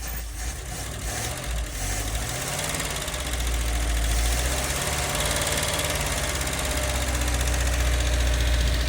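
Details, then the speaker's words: Toyota LN65 Hilux 253 V8 just started after a decade sitting, quiet exhaust at steady idle with light fast ticking; a fair bit of valve train noise blamed on long storage. "I mean, exhaust-wise, it's got a fair bit of valve train noise, but not too concerned about that, considering how long it's been sitting."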